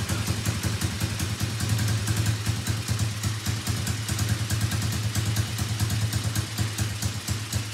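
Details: Elstar 150cc single-cylinder quad bike, long stored, started after repair work, with a suspected carburetor seal leak: steady, quick putter that picks up cleanly when revved, no knocks or misses. Normal running.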